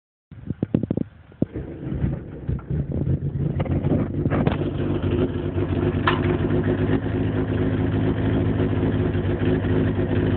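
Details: VW 020 gearbox on an 8V ABA engine, after clutch reinstall: idle with rough droning hum and faint intermittent whine from the clutch area; owner believes it's not the throwout bearing.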